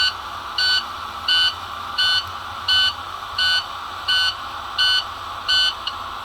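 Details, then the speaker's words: Wabco HPB brake pump motors after repair (filing seized brushes to restore contact with the commutator), key on, Wabco toolbox connected: steady electric pump hum under a warning beep about 86 times a minute as front and rear pumps build to 2,000 psi; repair worked. "You can hear both. You can hear the pumps running. There we go. Both of them are at 2,000 psi now."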